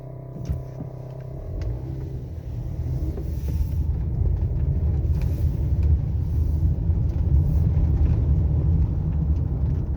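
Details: 2011 Honda Odyssey with an aftermarket active engine mount, a low uneven rattling rumble over the running engine; noisy aftermarket mount.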